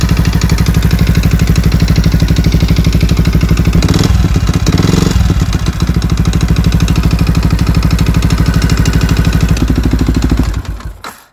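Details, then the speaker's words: Yamaha WR125 single-cylinder at idle after valve adjustment (exhaust 0.20 mm, intake 0.10 mm) and fresh oil, compression under 4 bar: a deep knock on each firing beat persists; crankshaft bearings suspected worn. "klepać jak klepał tak sklepie ani regulacja zaworów ani wymiana oleju nic niestety nie pomogło"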